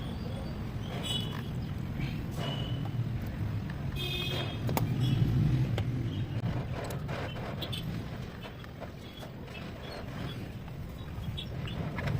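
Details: Royal Enfield Diesel Bullet 350 single-cylinder diesel after engine rebuild for piston slap, with new injector cup and homemade gasket, being run in: steady low thudding idle near 220 beats a minute, even, no knock, some clatter; healthy idle.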